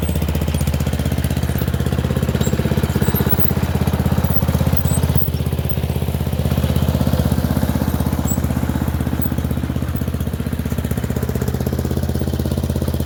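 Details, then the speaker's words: Murray Select 30" riding mower test-driven up and down a driveway: steady single-cylinder thump, even firing with a strong low rumble, no misses or knocks; running okay, a little better, though the owner notes carburetor and gas tank issues. "So, it's running okay. It's running a little bit better."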